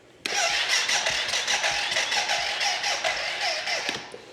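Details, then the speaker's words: 2006 Arctic Cat 400 fuel-injected ATV: starter chugs dragging at about five per second for four seconds, never fires; slow cranking, battery sounds low, fuel pump (reportedly replaced) heard pumping normally. "as you can see, the battery sounds pretty low. The fuel pump sounds like it's pumping no problem."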